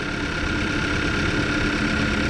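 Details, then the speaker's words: 2014 Kia Forte after new coils on cylinders 1 and 3 fixed P0301 misfire: steady even idle with light injector ticking, no stumbles; repair verified, no misfire. "best location I can get for the myth fire it is not misfiring anymore"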